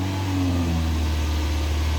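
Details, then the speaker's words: Used car engine check, heard from inside the cabin with one door open, with a light accelerator blip. Smooth, even hum rising slightly with no knocks, ticks or extra noises; the engine sounds normal and healthy. "ये just गाड़ी का अपना original sound है, यानी कि कोई extra noise, कोई extra आवाज़ें बिल्कुल नहीं आ रही।"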